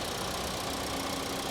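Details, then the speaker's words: 2024 Mitsubishi Outlander, 2.5 L four-cylinder, new engine with good fluids, severe body damage, at a Copart yard; steady even idle with a smooth hum and no knocks or ticks. Has the typical Mitsubishi sound; normal idle. "it's a new car and it sounds like a Mitsubishi they just have that they just have that sound"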